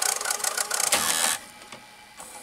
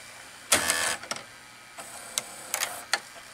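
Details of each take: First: RCA VR335 VCR after cleaning the mode switch: light raspy mechanical whirr with fast ticking for about 1.5 seconds, then quieter clicks; mechanism works but motor is noisy, possibly lacking lubricant. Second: RCA VR335 VCR after cleaning the mode switch: a few mechanism clicks, then a smooth, steady whirr of tape rewinding, with no scraping or squeal and the earlier noise on rewind gone; rewind working normally.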